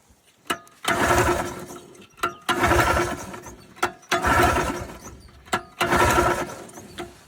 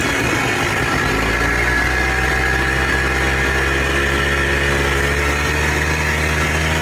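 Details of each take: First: Polaris Trail Boss 250 4x4 ATV rescued from scrap: four cranking bursts about every 1.5 seconds, each dying without catching; won't fire, owner tries full choke then no choke and throttle before it starts. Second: Polaris Trail Boss 250 4x4 ATV rescued from the scrap yard, previously wouldn't fire on spray; settles from a rough catch into a steady, even buzzing idle with no misses; runs and drives normally.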